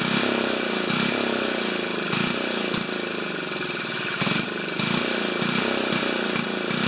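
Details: 4HP horizontal Briggs & Stratton single-cylinder, muffler screwed back in at 45 degrees on broken studs for testing: it runs steady with fairly even firing and occasional louder pops. Sounds better; normal running.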